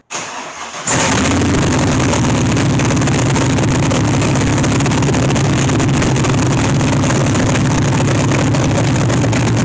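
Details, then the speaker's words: C3 Corvette with swapped LS1 V8, started after correct fuel rail O-rings fitted: short crank, catches at once into a strong, even idle with no ticks or knocks and good oil pressure; healthy. "this is uh definitely uh a big relief the engine sound sounds very healthy I've got good oil pressure"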